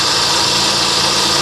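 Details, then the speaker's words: Salvage auction vehicle, engine bay very wet at rear, alternator charging: engine idling under a loud, steady hissing whir from the accessory drive drowning out the motor; loud accessory noise, cause unknown. "Okay, so there's an accessory over here making a ton of noise."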